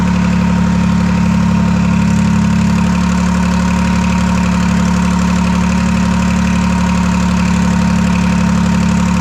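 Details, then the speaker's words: Detroit 3-53 two-stroke diesel after 25 years idle; reversed camshaft corrected, buffer screw being adjusted, warmed to about 100-150 degrees. Steady, even idle with a smooth regular beat and a deep drone, no knocks or misses. "Okay, we'll fire it back up and adjust the buffer screw. yeah, she's running really nice."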